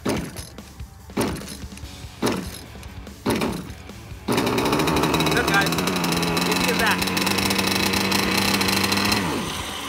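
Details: Pro Boat Zelos 48G (PRB09004) Zenoah two-stroke after clearing hydro lock (water out, plug dried, cylinder flooded with fuel, carb choked): several sharp pull-start bursts, then catches and holds a steady buzzing run; normal.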